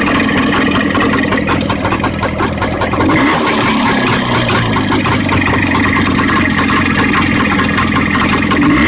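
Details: Jawa 634 two-stroke motorcycle engine running steadily with a rough, uneven knock about two to three times a second; origin unclear.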